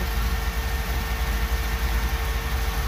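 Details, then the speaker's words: 1977 Chevy Camaro small-block Chevy V8 with newly installed Edelbrock Pro-Flo 4 EFI, timing locked at 12 degrees, idle set to about 750 rpm: steady even low burble, no misses, knocks or ticks; normal idle, looking and sounding good. "rpm i'm going to set that about 750 that sounds good so i'm just gonna keep an eye on things here [Music] looking good sounding"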